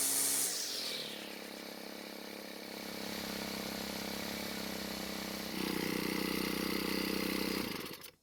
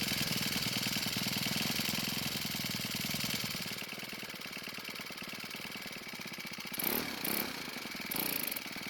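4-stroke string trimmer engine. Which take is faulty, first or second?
second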